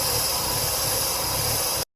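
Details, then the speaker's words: 2003 Mazda 6 2.3 L with stalling and surging idle, codes P2187 and P2177 lean: steady loud hiss at idle over a low engine rumble; a vacuum leak, likely from a collapsed or torn PCV valve hose under the intake manifold. "the battery has been disconnected sucking air down below so you'll need to take the intake off and get to the PCV valve hose which is probably collapsed and sucking air"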